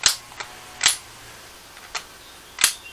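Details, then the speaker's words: Starter removed from a 1977 Mobile Traveler motor home, tested off the vehicle: sharp, crisp clicks at irregular intervals as the Bendix drive snaps in and out, nothing gritty between them; starter drive engaging normally. "it's making clicky noises that's always a good thing with the starter"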